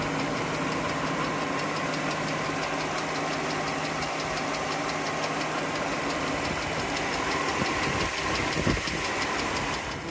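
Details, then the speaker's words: 2013 Jeep Wrangler idling, not yet warm (running about a minute) after adding Liqui Moly hydraulic lifter additive: a fast, even light tick still rides over the engine, sounding the same as before; cause unconfirmed. "definitely hear some ticking right now give some time to warm up a little bit"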